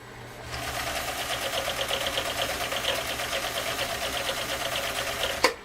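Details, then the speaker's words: Husqvarna Viking CL8 sewing machine with 1.5 amp motor stitching one layer of vegetable-tan leather: quick, even needle ticking over a soft motor hum, whisper quiet, smooth and healthy. "listen to that machine run I mean you have to listen to hear it run it runs that quiet and that smooth and again this is a larger of the two motors this is a 1.5 amp motor powering this and yet it runs just whisper quiet"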